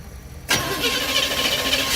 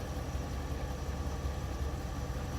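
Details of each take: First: 1971 GMC 3/4-ton camper special V8, first start in 18+ years after rewiring, fed fuel by hand: catches abruptly and runs lumpy, shaking, not firing on all eight cylinders; rough running on first start. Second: 1971 GMC Camper Special 3/4 ton V8, later restarts after first start in 18+ years: steady even low rumble, no misses; firing on all cylinders, oil pressure good, fuel delivery still being sorted.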